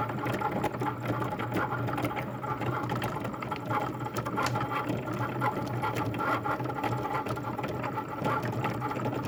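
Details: Cricut cutting machine running a cut: a loud, steady mechanical drone with rapid fine ticking, far noisier than normal; cause not clear.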